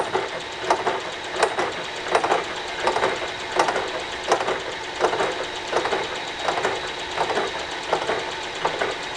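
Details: Flywheel from a wood chipper, cast iron arc-welded at a corner: sharp regular ticks about 83 a minute over a dry scraping boring cut, interrupted bite as the carbide tip chips in the hardened heat-affected weld zone.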